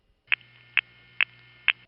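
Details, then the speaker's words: 1977 New York City panel revertive pulsing, 9900 group translating to 545, zoomed on second digit: four crisp, evenly spaced ticks about half a second apart over low hum; correct pulsing for digit four. "the 9900 group translates to five four five as the first three digits of the RP sequence and this is five four five let's zoom in on that second digit"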